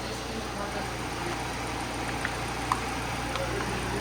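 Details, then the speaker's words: Dad's rebuilt project car, just back on all four wheels, no leaks, coolant topped off, idle settling down: quiet, even idle with no knocking or misses; the rebuilt engine sounds healthy. "It's idling down, guys. It sounds amazing."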